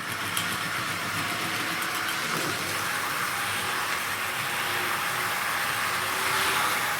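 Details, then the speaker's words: Tri-ang AL1 Class 81 model loco power bogie with knurled wheels, drawing about 0.3 A, being opened up to higher speed; smooth rushing roar building as speed rises, no clicks or stutter, the distinctive Tri-ang power bogie roar, normal. "can just hear that picking up speed quite nicely. Makes quite a nice noise, like lots of these Triang power bogies. The knurled wheels making their very distinctive sort of roar."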